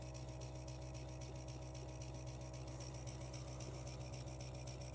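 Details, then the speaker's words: Stuart Models S50 model engine, just finished, running smoothly: quiet, even rapid exhaust beat around three to four per second with a steady hiss; normal running. "and i'm going to leave you with a clip of the stuart models engine running"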